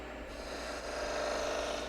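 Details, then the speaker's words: Woodturning skew cutting a V in end grain on the lathe: dry rising rasping squeal as the tool bottoms out in the V with no clearance, so it won't cut and only burns; fix is cutting clearance for the tool. "Here, make that noise. Let me make it again. Okay, it won't cut. I know if I all I can do is burn it. There's no room for the tool to work."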